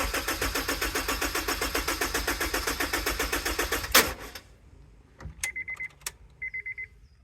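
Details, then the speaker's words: Honda S2000 parked unstarted for six years, cranked with the fuel pump fuse removed until the oil light goes out: steady starter cranking, about four beats a second for four seconds. It never fires and the oil light stays on. "So, I'm being told I've got to crank it till the oil light goes out. So, let's see what happens. Okay, the oil light didn't go out."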